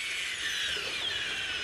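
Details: Crawler electric motor, two-speed in second/high gear: steady, high, soft whine with light gear hum, no knocks or grinding; motor running smoothly and quietly.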